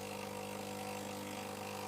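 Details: Sage/Breville Oracle coffee machine pump after repeated single-shot presses coaxed water through to refill boilers: steady low buzzing hum, constant pitch, no sputter or rattle; pump drawing water normally again.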